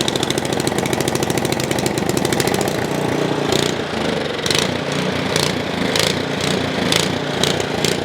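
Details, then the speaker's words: Ariens Path Pro 208cc four-stroke single-stage snow blower idling unloaded: revs rise and sag about every second, an idle surge the owner says disappears under load in snow. Cause not yet identified. "So we're going to fix that surging issue. It is not the end of the world if it surges. It just drives me nuts."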